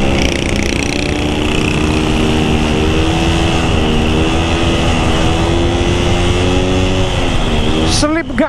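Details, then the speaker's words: Motorcycle riding on a spare clutch that had long gone unused: the engine note climbs and wavers, the revs flaring without matching pull. Clutch slip. "Nah sekarang mengakibatkan kopling slip karena pakai kopling cadangan Yang Sudah lama tidak saya pakai ya gini"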